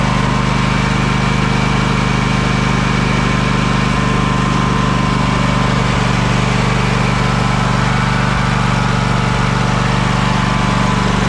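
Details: Craftsman DYS4500 riding mower, 26 hp Craftsman Courage engine, revived after sitting over a year; steady even chug with low drone, no misses or knocks; smoking a little but runs well; normal running, needs new fuel cap and fuel line.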